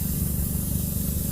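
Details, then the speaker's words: Punctured tire after the nail is pulled from the tread: short, steady hiss of air escaping through a small hole over low background rumble, confirmed with soapy water bubbles before plugging. Tire air leak. "There we go. I can hear the noise, guys. I can hear the noise coming out."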